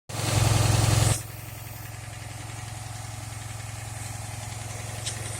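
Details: 2008 Dodge Charger AWD with a vacuum leak persisting after a tube seal was fitted: loud start burst, then steady idle with a light, even tick about three or four times a second; cause unknown.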